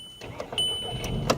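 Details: Volkswagen Golf V crank no-start after battery connected in reverse, after replacing ECU with scrapyard unit: a few clicks, then engine catches and settles into low, steady run; normal engine start.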